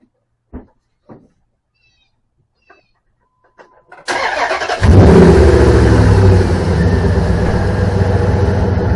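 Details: 2003 Dodge 2500 Hemi V8 first start after serpentine belt replacement: brief crank, catches cleanly, flares and settles into a smooth steady idle; healthy start, belt swap successful.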